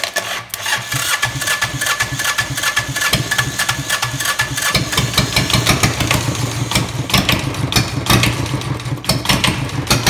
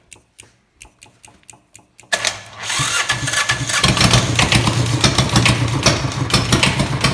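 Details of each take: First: Diesel engine in a bike build, strapped down to test the CVT, cranks a long time without glow plugs, then chugs into a slow, lumpy idle that barely keeps running; the idle speed is set too low. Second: Homemade diesel bike engine with glow plugs, cranked a while, idle screw turned up after first try: a few light clicks, then it catches and settles into a busy, fairly even chug; runs properly after the idle adjustment.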